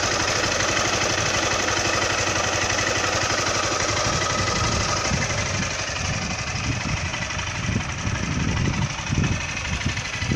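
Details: Honda Titan 160 at about 5,000 km, valve adjustment due at 6,000 km: loud, fast metallic clatter at idle; owner suspects valve tappet noise but thinks it may be normal for this engine; not confirmed.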